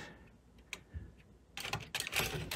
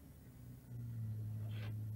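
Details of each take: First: JVC Victor XU-D400 Mk II triple-CD/MiniDisc combo deck, MD drive after spindle motor revived and partial recap: bursts of whirring and clicking motor effort that stop and restart as the disc struggles to seat; loading belt slipping, emergency stops recurring. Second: JVC Victor XU-D400 Mk II MD deck spindle motor, previously dead, revived and running on bench power supply at 4 volts after reassembly: soft steady low hum holding stable speed; motor turning smoothly and quietly, normal running.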